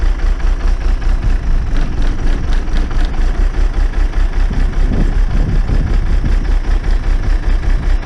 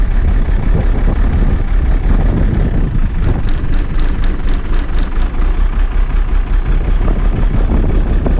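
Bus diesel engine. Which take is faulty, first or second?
second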